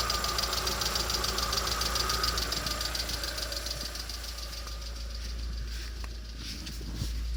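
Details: Lada Vesta SW Cross, 1.6 engine, 106 hp, at idle: light, sharp knocking taps at roughly three per second that fade slightly as the engine settles. Engine knock, source undetermined.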